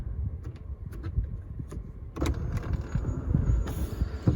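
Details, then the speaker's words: 2021 Honda CR-V Hybrid EX AWD sunroof opening: low motor drone with scattered clicks and faint thin whine; owner finds it loud, unsure if normal, may have dealer check it; loud sunroof operation. "seems kind of loud. I'm gonna maybe have them look at that."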